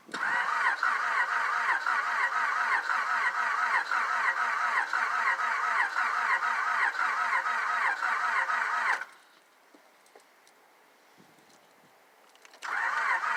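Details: 2000 Honda Accord LX sat for a year: starter turns engine over in steady pulses about twice a second, pauses, cranks again, never catches; owner suspects timing, not confirmed.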